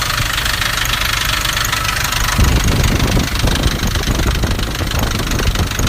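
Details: Nissan Navara D40 2.5 dCi diesel at idle: harsh rattly clatter swelling after a couple of seconds, easy to mistake for dual-mass flywheel rattle; actually a cracked intake manifold.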